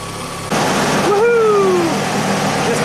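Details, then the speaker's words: 1991 Audi Turbo wagon at idle, radiator near 92–97 °C during cooling-fan circuit testing after earlier overheating with no fan: a steady rushing whoosh cuts in and holds. "yes that's the uh second stage down kicked off on its own"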